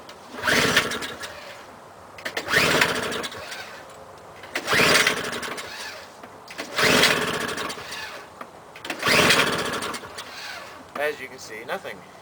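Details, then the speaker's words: Toro CCR2000 single-stage snow blower, 4.5 hp engine, turns over with old gasoline in the tank: five pull-cord rips, never fires. No start due to a dirty, gummed-up carburetor. "the cap smells like real old gasoline there's some gasoline still in there"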